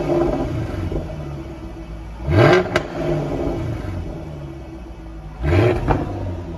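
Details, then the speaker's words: Jaguar F-Type active exhaust valves squeaking at low speed and low rpm, heard before lubricating the flap pivots. Over a low rumble, short squeaky chirps come twice, about three seconds apart, as the exhaust valve moves. "So we'll just let that grease work into that and clean it up, and we'll see if that permanently solves it or not. But that's the noise right there that you're trying to get rid of."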